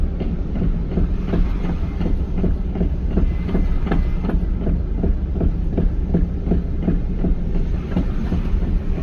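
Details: 1998 Pontiac Formula, 5.7 LS1 with M6 manual, deep regular thumping/banging from the rear in time with the wheels. It was first thought to be the differential but turned out to be a worn torque arm, bushings and a damaged rear tire assembly.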